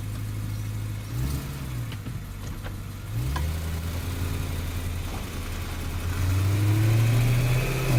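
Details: BMW E90 M3, recorded from under the car at slow rolling speed: a loose rattle like a bad CV joint plus metallic tinks and clunks from the driveshaft; owner suspects the mid-driveshaft CV joint, unconfirmed.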